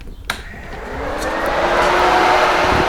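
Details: 1994 Honda Civic EG, turbo, with the whole cooling system replaced, engine warm, fan hot-wired through an inline fuse to a toggle switch: click, then a steady air whoosh settling into an even hum; radiator fan running normally.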